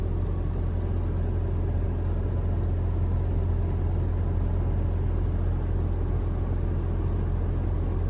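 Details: 2021 Toyota RAV4 Prime SE in hybrid mode, cold start at 43 °F, heater on auto with AC on: steady low hum from the petrol engine running evenly, no whirring or droning from the heat pump; normal.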